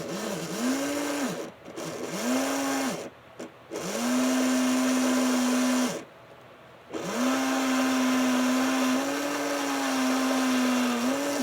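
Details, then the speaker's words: Burlington GP20 model locomotive after lubrication and running in: steady mid-pitched motor hum rising and falling as it starts and stops, no more angry-chipmunk chirping; runs smoothly. "Doesn't chirp like it used to. I think it's going to be a good little runner."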